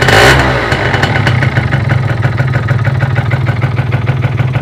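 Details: Derbi Euro 3 engine, owner suspects a bearing: after a blip it settles into a loose metallic clatter ticking about three times a second over the idle, source unclear; metallic engine noise.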